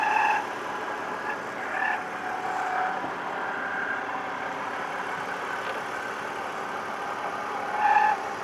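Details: BMW engine humming quietly with short high chirps recurring every few seconds; intermittent squeak of unclear source.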